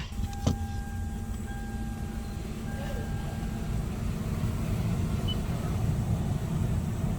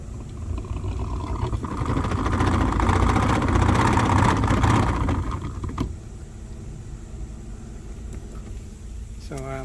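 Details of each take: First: 2016 Toyota Sienna cabin blower after the loud blower motor was replaced: a smooth, steady fan rush with no rattle or squeal, running normally. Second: 2016 Toyota Sienna cabin AC fan making a loud, rough roar with low rumble, dropping away when switched down; worn blower motor.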